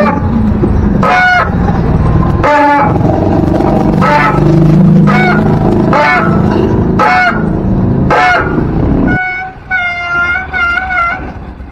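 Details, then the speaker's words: Bicycle disc brake: loud goose-like honking squeals in bursts with each application, caused by the rotor slipping on the brake pads. "maingay na nga siya dumudulas pa ung ingay na yun mga kumpay dun yun nanggagaling sa pagdulas nung rotor natin dun sa mga brake pad natin"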